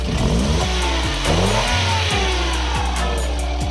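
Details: Toyota Wigo after repairing a cut fuel injector wire (P0200, injector circuit open) that caused rough idle: engine picks up cleanly through quick revs and settles evenly, no stumble; running right.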